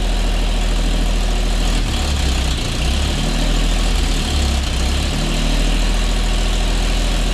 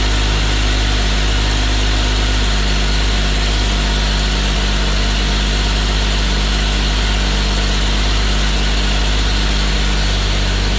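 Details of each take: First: Custom 1950 Chevy Styleline after sitting over five years: the V8 idles low and uneven, its beat loping and dipping every second or so. A cut vacuum line plug was found and is suspected of making the rough running harder to dial in. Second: 1950 Chevy Styleline that sat over five years, started after adding gas: a deep, steady, even low rumble like an old John Deere, with no knocks or misses. Normal idle.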